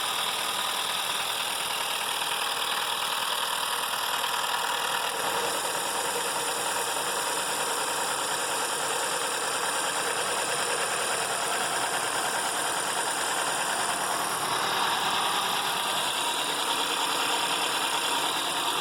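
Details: Citroën C4 Lounge THP on cold start, complaint of cold-start noise: loud, busy metallic rattle from a slack, whipping timing chain; engine timing then found out of spec.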